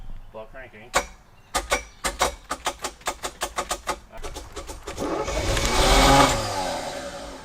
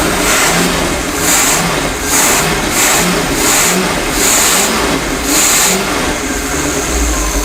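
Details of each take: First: Abandoned, flooded Chevy K5 Blazer: slow even cranking, catches and roars briefly then dies; runs only in crank position, low coil voltage found with key on. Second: 1977 Chevy K5 Blazer abandoned 20+ years, running its 260 hp marine V8 on old fuel with outdrive off: deep, even rumble rising and falling with throttle blips, no knocks or misses, 40 psi oil, charging; normal running.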